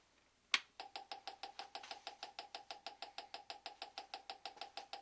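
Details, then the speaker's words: GM "Yukon" (D-585) coil-near-plug ignition coil bench-tested at 5 ms dwell with spark plug gap opened to 1/10 inch; sounds quite different from the LS2 coil, with longer discharge current times; rapid, evenly spaced sharp snaps with crisp crackle; healthy coil firing steadily. "quite a difference in sound compared to the LS2 coil, and you get some longer discharge current times right there."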